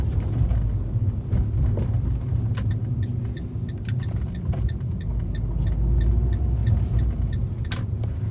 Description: Here’s a video recording of my 2013 Fiat 500 demonstrating the clicking sounds under the car whenever I go over bumps and pot holes.